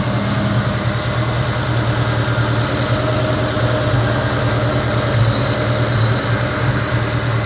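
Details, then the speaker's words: 2003 Ford Mustang SVT Cobra Terminator V8, still warming up after an NGK TR6 spark plug change, fuel pressure sensor also changed, previous WOT issues: deep, even idle with a smooth rhythm, an occasional small bloop, no misfire; normal idle. "Alright, so it seems to be idling about the same as it was before. Does that like little bloop thing every once in a while. Which I mean, it sounds okay from the outside."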